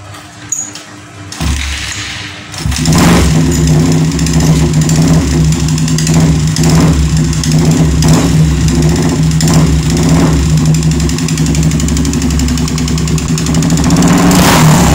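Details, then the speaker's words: Yamaha Vixion motorcycle that smokes from the exhaust and from the radiator area: rough idle with a fast, regular metallic ticking from the engine, then revving. Cause suspected, not confirmed. Engine knocking and rough running. "Oke teman-teman mudah-mudahan di kamera jelas suara ngelitik di bagian mesin dan seperti yang kita lihat sama-sama di knalpot juga ngasep"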